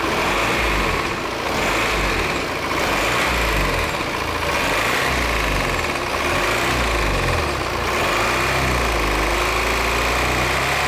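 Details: 2018 Volvo XC90 diesel at 137,292 km with an unusual noise, idling: an uneven, loose rattle rides over the diesel clatter at the front of the engine.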